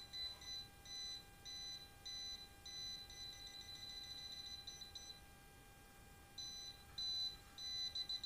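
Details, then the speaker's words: Wire-break/voltage tester run along the cable of a well water pump that won't run. Rapid high-pitched beep bursts, about a hundred a minute, show current still present on the live phase wire at this point: live wire detected. "Hai sampai di sini kita masih mendapatkan arus ya"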